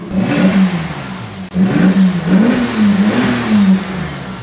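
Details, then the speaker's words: Salvage Porsche Boxster S 986 rebuild, running and driving fine: smooth engine rising and falling through several throttle blips, even tone without knocks or rattles; engine purring, sweet and healthy mechanically. "As you can hear, the car is purring. The engine sounds sweet. Everything is working fine, engine-wise, mechanical-wise."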